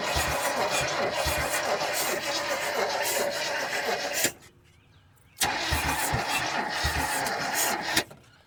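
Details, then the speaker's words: 1972 GMC 1500 sitting about 30 years, spark present, fuel poured into carburettor: two sluggish cranking bursts with a slow labored chug and no catch; slow cranking, battery suspected, not confirmed. "Fire the hole. Yeah, she ain't turning over nowhere near fast enough."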